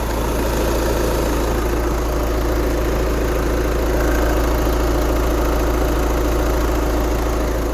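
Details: VW with 29,000 miles making a loud noise from under the car when slowing in neutral, braking to a stop or rolling in neutral: steady droning rumble with faint fast pulsing underneath; owner suspects the throwout bearing, dealer could not duplicate it.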